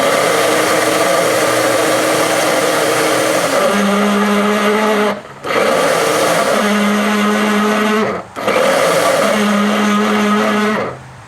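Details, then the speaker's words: Commercial shop vac running: harsh roar with a groaning, shifting-pitch tone and friction felt on top of the motor; worn, binding bearing on the motor's top plate, fixed by replacing the bearing. "sounds like it's got a bad bearing and what i'm gonna do is try and open it up see if it's got a bearing it feels like a bearing or something's binding"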